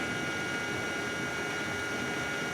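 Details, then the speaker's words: 2009 BMW 335i (E90) new electric water pump, replaced after original failed hard at 72K miles, commanded on for 20 seconds during coolant fill/bleed: steady soft whine with fixed high tones under gusty wind; pump sounds great, running normally after repair. "so we're gonna command this back on again so it's on for 20 seconds you see our coolant coming in there pump sounds great"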